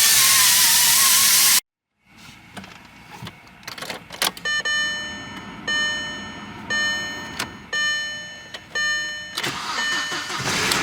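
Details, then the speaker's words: Turbo car engine first start after an oil pan holed by a railroad spike drained all oil, now refilled with 5W-30: loud burst, pause, cranking then catch with sharp uneven clanks; ugly sounds at start, engine/turbo survival uncertain. "That's some kind of ugly sounds at the start there."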